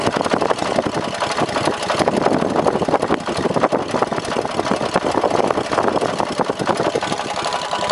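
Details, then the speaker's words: 18hp opposed twin engine, first twin owned, leaking at bottom, ~4000 rpm limit: uneven idle with sharp tapping knock on the firing beat, seeming to come from rear of block and not worse with revs; owner suspects rod knock or top-end bearing, unconfirmed. "so uh but anyway sounds like rod knocked me which i can probably fix but like i said it means i gotta tear the whole engine apart"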